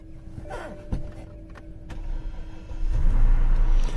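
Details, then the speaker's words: 2007 BMW 750 at auction showing many warnings, including steering/suspension hydraulic fluid loss. A short crank on the second start attempt, then it catches into a steady low idle with no misfire or stumble; a normal start and idle. "she didn't sound bad after the second start but she's got too many issues man"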